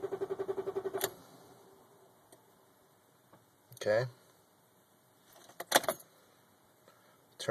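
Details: 1995 BMW 325i E36 with a manual gearbox and a long-running hard-start fault, in neutral. About a second of even starter chugging, roughly nine beats a second, then it quits without catching: cranks but will not start.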